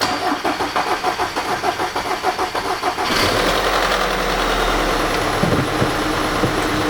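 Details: 2009 Volkswagen Tiguan 2.0 turbo, running poorly with oil leaks; about three seconds of slow cranking, then catches into a rough, uneven run with a clattering chatter from a worn timing chain rattling.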